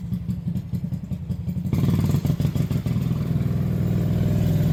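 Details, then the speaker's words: Small single-cylinder mini bike engine after a new clutch, gas tank and governor mod: chugs evenly at idle, then picks up cleanly when blipped, with no misses or clatter. Runs healthy. "all right y'all my bad about that let fired up give it some hits I was looking over everything everything looks good completed good job"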